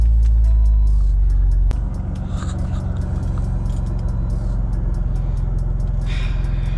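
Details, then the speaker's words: BMW E90 at cold start in a garage; heavy, loud low drone that hurts the ears — excessive engine/exhaust drone, cause known to the owner but not stated. "if you guys can hear that it is ridiculously loud sorry neighbors"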